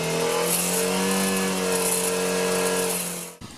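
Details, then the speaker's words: 2013 Suzuki V-Strom 650 engine held around 5,000 rpm with a bright metallic buzzing rattle from the Givi crash bars rattling. "but anyway at about 5,000 rpm this thing just starts rattling terribly"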